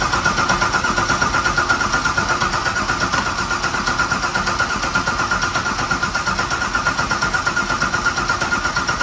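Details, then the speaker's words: Engine on start with oil pressure up: fires and settles into an even idle of nearly three beats a second, no knocking or rattles; normal idle. "Sounds good too. It ain't knocking already. No, ain't knocking yet."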